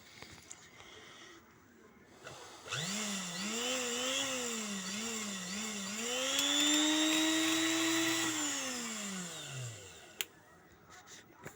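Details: Sewing machine motor after pedal repair whirs up smoothly, pitch rising and falling with the pedal, then winds down evenly; no grinding or stutter, running fine.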